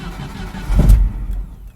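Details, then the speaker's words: 1988 Jeep Comanche Renix 2.5L I4 without gas pedal: brief catch and short burst of firing that dies within a second; starts only with a little gas; stalling after start from a seized idle speed motor (throttle stepper motor). "It starts, sorta, but it instantly dies. You notice it doesn't do its little finger dinger."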